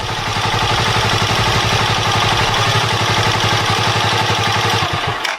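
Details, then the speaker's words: Motorcycle single-cylinder after adjusting the idle screw and turning the mixture screw slightly clockwise: quick, fairly even chug of about four beats a second, no stalling or stumble, doesn't die when throttle is applied, then shuts off. "调节过后，这个发动机就运行得很平稳，很顺利。正常给油也不会熄火。"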